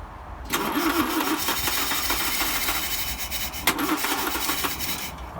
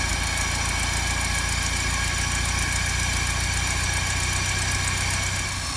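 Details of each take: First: 1955 Land Rover Series One, freshly rebuilt engine unrun about 50 years, refurbished starter, timing being set at distributor: uneven cranking catches into a few seconds of ragged running then dies; owner suspects fuel pipe connection. Rough cranking and brief running. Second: 1955 Land Rover Series One petrol engine, freshly rebuilt after about 50 years standing, first start-up with rebuilt or replaced SU fuel pump; steady, even low idle without knocks or misses, then a smooth step up in speed, running cleanly.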